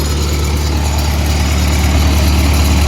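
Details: Lincoln SA-200 welder on a second-gen truck: deep even beat about three firings per second, no misses or knocks; quiet, smooth, quieter than 2-cylinder Millers and Lincolns.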